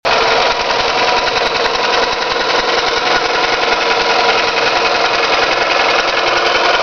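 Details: Toyota 5S-FE engine: sharp, regular tapping under two beats per second over a rough-running engine; a knock whose cause the owner is asking about, not yet pinned down.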